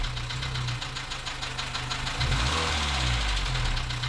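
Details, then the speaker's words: 2014 Dacia Sandero, D4F 1.2 petrol engine, at idle and through a quick rev: an uneven ticking knock, roughly three to four per second. Low oil and a possible spun bearing are suspected, unconfirmed. "okay so you've been watching part one of diagnosing a loud knocking sound on this 2014 Dacia San Diego with the d4f engine"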